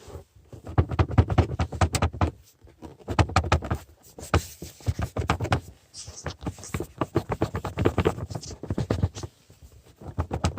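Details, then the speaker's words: Lada Vesta intake resonator rattle: bursts of loose plastic knocking as the resonator shakes in its mount; worn metal bracket or plastic retainer, likely the plastic part, plus its pipe. "тут аж две причины стука первое это железный кронштейн и фиксатор за счет которого резонатор крепится кто-то из них перетерся и раза болтался"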